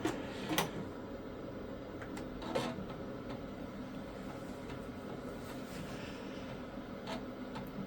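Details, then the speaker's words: Tandy 1000 SX vintage PC, B floppy drive loading Sierra Christmas card from disks kept since about 2016: quiet hum with scattered clicks and brief buzzing seeks, head retrying reads; owner fears disk went bad, but it loads. "oh no don't tell me the disc went bad"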